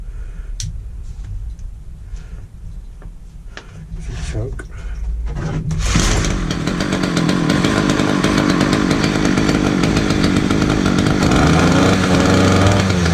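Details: Titan multi-tool small two-stroke, hard-starting, after new fuel lines, new spark plug and fresh fuel (tank venting suspected): catches after handling noise and holds steady high buzzing run without stumbling.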